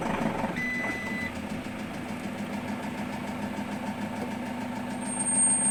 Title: Citroen Jumper 110kw Engine knocking 2